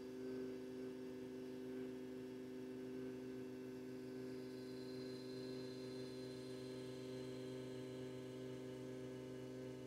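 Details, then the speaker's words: Fiat Ducato 2.3 that would not start, fuel pump already replaced by owner: key on, faint steady electric hum with no surging or rattle; fuel pump priming normally. "agora quando a gente ligar a chave a bomba de combustível ela tem que ficar pelo menos uns 15 segundos ligada né"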